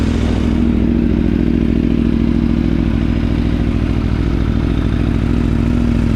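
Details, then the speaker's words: Aprilia Tuono V4 first cold start after valve clearance service and fresh oil: fast light metallic cam chain rattle over steady lumpy idle, going away once oil pressure built up. "there was a little bit of uh chain clatter initially but that went away when the oil pressure built up"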